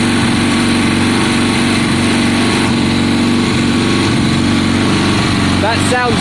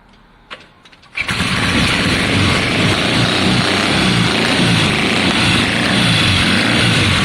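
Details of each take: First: 1972 Triumph Bonneville T120 parallel twin, Mikuni carbs, after cleaning spark plugs, choke off: fairly even, lumpy idle with no misses or popping; sounds happier, running properly. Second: 1972 Triumph Bonneville T120 twin, Mikuni carbs, kick start, first start in a long time, cold on choke: kicks over, catches into loud, slightly uneven beat; both cylinders firing but rough idle.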